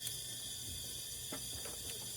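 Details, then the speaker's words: Leak-down test, piston sitting below top dead center: steady high hiss as air escapes through the open intake valve. "Now, mine is not at top dead center. Mine is currently still sitting below, so it is coming out through my intake section."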